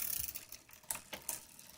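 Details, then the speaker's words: Road bike after a quarter-turn adjustment of the derailleur adjuster screw: light rapid freehub ticking with no rubbing or chatter from the chain; the drivetrain runs quietly with no chain rub. "no more rubbing on the uh on the chain which is what i want"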